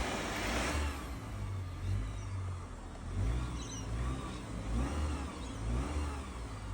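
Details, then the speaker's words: 2011 Mitsubishi Lancer, came in as crank-no-start with low compression on two cylinders from cylinder wash; after clearing flood mode it started: engine runs steadily, rising and falling with throttle, no misses or knocks; healthy. "So I knew that I'm dealing with a cylinder wash problem. And I was confident at this point the vehicle's going to start and sure enough, it did."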